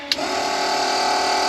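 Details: Nissan 240Z with RB20DET swap, first start of the year after finishing the wiring: a click, then a steady even electric hum at key-on; the fuel pump is priming normally.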